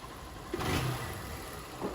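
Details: 160 motorcycle, single cylinder, after repair: slack cam chain replaced and seized cam chain tensioner replaced. Quiet, even idle with one short throttle blip and no top-end rattle; engine noise cured, runs healthy.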